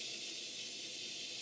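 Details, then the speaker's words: 5-inch gauge GWR 14XX model steam locomotive, first live steam test on a gas burner: steady loud hiss as the single large safety valve lifts cleanly at its set 90 psi working pressure (boiler tested to 200 psi). "the quick adjustment with my safety of our existing tool makes it so that the safety valve blows off at 90 pounds per square inch which is the pressure I intend to run this engine"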